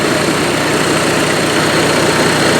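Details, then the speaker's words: Onan Marquis 5500 RV generator (1998 Bounder motorhome, 20+ years old, 60 hours) after carburetor rebuild, running on gas from a can as it won't draw from the tank, choke opening; steady even hum, constant speed, no knocks or surging; normal running. "We got it running. Of course, it's not pulling the gas from the tank like it should, but it is running now on the gas out of that can."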